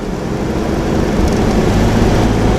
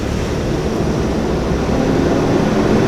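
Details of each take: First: 1992 Toyota 4Runner 3.0 V6, five-speed, at 3,000–4,000 rpm after replacing a locked-up, wobbly fan clutch with an aftermarket part: steady drone with no roaring fan, much quieter than before. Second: 1992 Toyota 4Runner, 3.0 with five-speed: a deep whooshing roar rising with engine speed while driving, like a garbage truck above about 3000 rpm. The thermal fan clutch has locked up with a bad, wobbly bearing, so the radiator fan spins constantly.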